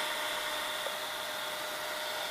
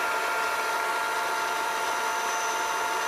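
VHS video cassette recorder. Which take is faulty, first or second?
second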